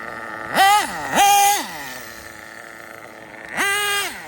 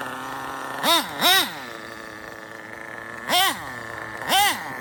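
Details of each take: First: RB nitro engine with sealed back plate in a drag car, tuned after running lean: idle rises then levels off, three sharp throttle blips climb cleanly to a high scream and return to steady idle without bogging; normal running, well-tuned mixture. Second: RB sealed-back-plate nitro engine in an RC drag car, carb untuned, 1/10-scale muffler. High-pitched nitro buzz with four quick rev blips; running a little lean on low-speed mixture.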